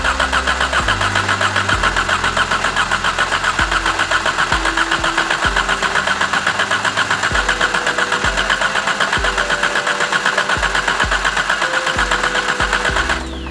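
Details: Exocet/Golf R after the stuck-open injector problem, fuel pressure at 60 psi. The starter cranks at a steady rhythm for over ten seconds without a catch; the crank sensor is suspected, and something is not getting power.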